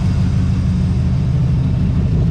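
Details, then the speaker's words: 1982 Chevrolet Camaro V8 on years-old gas, warmed up after smoking a lot, homemade side pipes: deep steady low rumble, even beat, no misses or knocks. Owner suspects a flywheel section issue with starting. Normal idle. "that's old gas too like years old it was smoking quite a bit but we warmed it up now those homemade side pipes aren't sounding too bad are they"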